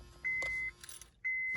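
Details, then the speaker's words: 2006–2011 Honda Civic failing to start: two steady high-pitched beeps about half a second long, a second apart, as the factory radio resets because the battery is low. Radio reset beep from low battery. "know, when you hear that, that means it's resetting because the battery is low. You have to change it."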